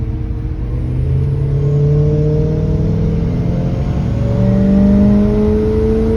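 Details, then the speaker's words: Chevrolet Silverado squarebody farm truck accelerating on a main road after a new Holley Sniper EFI install, about 20 miles driven: engine note climbs smoothly in pitch, no stumble, surge or popping; huge difference, runs great. "definitely a huge difference runs great made it back to the ranch running like a dream"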